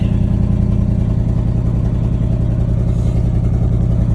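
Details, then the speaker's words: 1979 Chevrolet C30 square-body truck, running with no fuel tank: a deep, even V8 rumble with a steady beat and no knocks, ticks or stumbles. Normal running; it sounds good. "Overall, she sounds good. Now it's just a matter of getting into this, fixing up some other small stuff, and we'll be in business."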